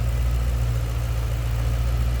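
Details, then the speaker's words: 2007 Ford Mustang Shelby GT V8, Ford Racing cold air intake: deep, steady idle burble with even beat, no ticks, knocks or misses; normal idle. "Sounds good, looks good underneath here."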